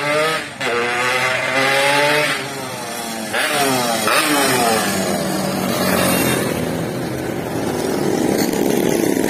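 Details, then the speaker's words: Yamaha RX King two-stroke after repair for power loss, road test: crisp buzz climbing cleanly through gears on repeated pulls, no stumble or bogging; engine pull good, chain possibly loose, nearly came off at full throttle. "Oke, tarikan mesinnya sudah bagus."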